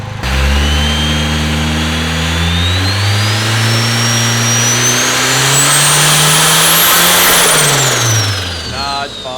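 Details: Rear-wheel-drive Honda Civic, built turbo engine, on dyno after rechecking base ignition timing (fine at idle), slow rev-up: climbs slowly and unevenly with rising whistle, then drops back; cams suspected swapped, not confirmed.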